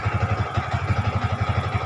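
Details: Yamaha Vixion with a sudden-stall complaint idles with quick, even exhaust pulses and no misses. The cause is a weak battery that drains below 12 volts and cannot power the fuel pump or injection; the fix is a new battery.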